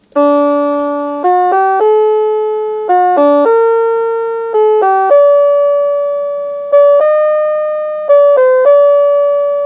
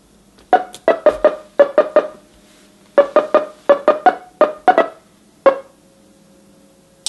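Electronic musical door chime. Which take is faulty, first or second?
second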